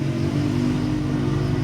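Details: Nissan Navara diesel after repair of a noisy broken front alternator pulley and a loose idler pulley, replaced as a full set: idles smoothly with a steady low hum, no squeal, rattle or grinding from the belt drive.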